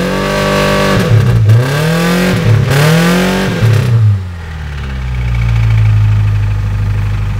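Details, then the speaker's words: Small four-cylinder pickup engine revved up and down hard: rough, clattery knock under the roar, getting worse; owner believes the motor is finally done, cause not pinned down. "hey you hear it it's getting worse I think I actually you're not I'm not heard of two three knots before I think I finally did it I've been waiting for this motor to go for so long"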